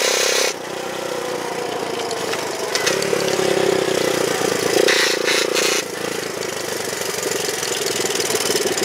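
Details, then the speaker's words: Honda chopper: a loose drive chain apparently rubs inside the housing near the battery tray bracket, giving a rough scraping drone over the engine that grows under torque; owner plans a tensioner pulley. "that noise you're hearing that noise you're hearing I believe I got to get a uh pulley system or something to tighten this chain up down here a little bit cuz I think it's rubbing in inside the housing there somewhere whenever it gets uh under under torque"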